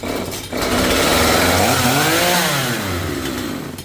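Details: Chainsaw that used to die and not restart until the plug was cleaned, carb H screw three turns out, L two turns out, max about 11,500–11,700 rpm, restarted after resting about half an hour: catches right away, revs strong and drops back smoothly. Normal restart.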